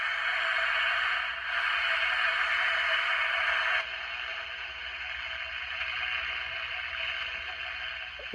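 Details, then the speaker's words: 1962 Bulova travel alarm transistor radio with Citizen watch, run on bench power before capacitor replacement: after the clip was reconnected, clear steady broadcast sound with much better audio and no crackle or dropouts. "Okay, we got it hooked back up, and much better audio"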